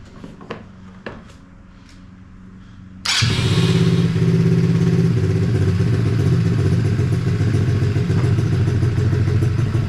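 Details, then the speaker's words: Hawk 110cc ATV, choke off: a couple of starter ticks, single catches and settles into a fast steady idle that keeps hanging high and creeping as idle is lowered; high idle. "So, we got the choke off. Still wants to run off a little bit. Let's see if we can lower the idle. Still wants to go."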